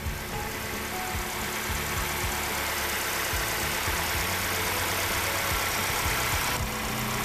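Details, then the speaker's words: Ford Escape 2.3 Duratec after a used cylinder head install, restarted after cooling down with oil and coolant topped off: steady, even low idle with no knocks or misses; owner thinks an earlier noise was an accessory and is not overly concerned. "let's fire it up again man she sounds alright and she sounds pretty good to me"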